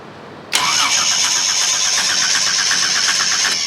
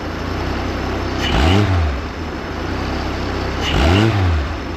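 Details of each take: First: Chevy 250 inline six cranks steadily for about three seconds with no firing at all, then stops; no spark, traced to two blown fuses, possibly from a wire arcing, after earlier backfiring. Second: Chevy 250 inline six, idle screw turned clockwise toward about 650 rpm: engine settles into an even idle between two clean revs, no miss; now idling well.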